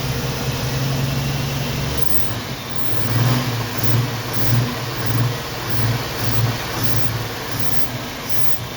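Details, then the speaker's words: 1990 Jeep Wrangler carbureted engine first run after fuel tank reinstall: low uneven rumble surging and sagging about once a second before dying; owner suspects fuel starvation, fuel pump weeping/leaking. "well she must be starving for fuel again must be starving for fuel so it is kind of weeping out of this fuel pump"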